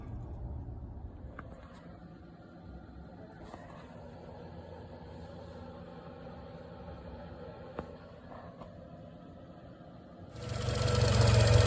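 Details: 2005 Toyota Camry XV30 idling with steady fairly even knock about four per second, resembling piston slap or rod knock; diagnosed as bad water pump, not bottom end.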